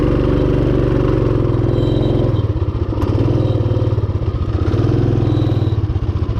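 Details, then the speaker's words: Rokon Trail-Breaker motorcycle climbing a steep hill trail in first gear, tires spinning and smoke smelled: engine held at a steady high drone with a wavering, pulsing note as the CVT belt slips and strains; clutch burnt up on the severe slopes. "you can hear the belt slipping straining and slipping that's just the first switchback"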